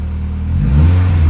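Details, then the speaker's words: Renault Clio 16S, hot, after replacing the faulty coolant temperature sensor feeding the ECU: revs up cleanly and evenly with no stumble or flat spot; the earlier acceleration hesitation is gone. "Et là, j'ai plus aucun trou à l'accélération. Donc, ça veut bien dire que le problème, c'était bien le capteur en fait, qui envoyait les infos au calculo."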